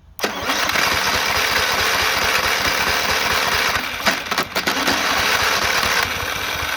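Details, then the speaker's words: Free push mower said not to run; starter freed with WD-40, battery hooked up, gas added. Catches quickly, then runs with a ragged, uneven beat and a brief stumble; owner may clean the carburetor or swap it and says the motor is going out. "of course it doesn't sound the greatest but i'm not gonna come down this is gonna be a perfect base for the new remote control lawnmower"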